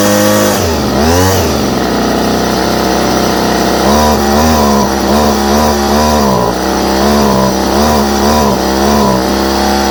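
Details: Homelite string trimmer with new non-OEM Chinese carburetor, started on choke; small two-stroke buzzes high and steady, blipping through throttle with clean pickup; normal running.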